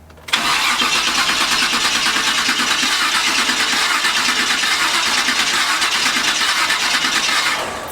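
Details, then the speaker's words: Chevy C10 with a TH400 transmission, sat for a while; the starter cranks steadily for about seven seconds with no firing. Crank no-start: no fuel, not even residual, and the fuel pump must pull fuel up from the tank. "no fuel like in there like nothing residual we're nothing like it's all gone"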